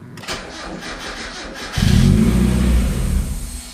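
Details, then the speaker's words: 1994 Mazda Miata R package with 2001 VVT engine on stock ECU (owner suspects three-wire VVT coils give no rpm signal): starter cranks, engine catches and revs about two seconds then dies; start-then-stall, cause unconfirmed. "so this is what happens when i try and start it uh it'll start right up but only run for two or three seconds"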